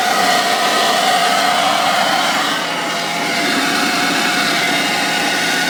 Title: Wj overland screeching noise on idle